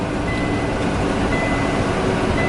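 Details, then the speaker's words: Kenworth T680 truck cruising at 91°F: high steady chime repeating about once a second over road and engine drone; low coolant warning, reservoir far below low line, temperature holding at 190°F. "hey guys Big Blue's got a little problem probably can hear from from the little digging noises Big Blue's telling me I got an issue"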